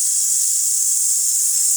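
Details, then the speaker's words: Pasquini Livia 90 heat-exchanger espresso machine after full service and new pump, steam wand fully open: strong steady high hiss, no sputter or gurgle; good dry steam, adjustable via pressurestat. "Pretty good steam. Of course, you can see how much steam is in your boiler through there."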